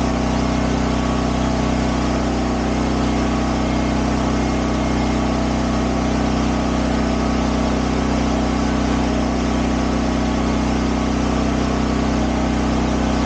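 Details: Champion dual-fuel 8000 W generator (model 201035) running on propane; steady, even engine drone at constant speed with no misses, knocks or surging; normal running.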